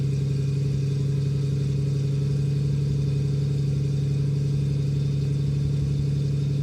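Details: Restored 1973 Jaguar E-Type Series 3 V12, about 1,000 miles since restoration, unstarted for a week, cold start: settles into smooth, even fast idle, deep steady hum, no knocks or misses.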